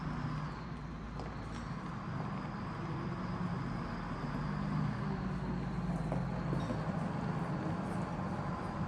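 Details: Detroit Diesel inline 6-71 in a bus, running before teardown: deep, uneven, lumpy chug about four beats a second, rough and weak; no power, low compression, dirty bad Roots blower, white smoke of unburnt fuel, fuel pump losing prime.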